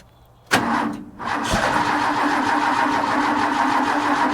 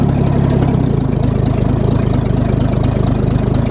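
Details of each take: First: Ford bullnose truck, 300 cu in inline six, just converted from one-barrel to two-barrel carb: cold start without pumping throttle, starter cranks steadily about five seconds, no catch; needs pumping, choke needs adjustment. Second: Ford bullnose truck 300 inline six after one-barrel to two-barrel carb swap, cold: low even pulsing idle, no knocks or misses; idle a little low, formerly idled around 1100 rpm.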